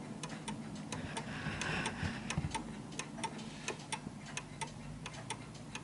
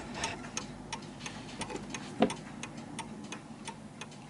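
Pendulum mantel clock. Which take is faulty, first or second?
first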